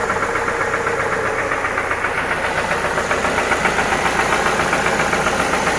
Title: What Is This BAD Knocking Sound In Toyota Prado 2TR-FE Engine 2.7L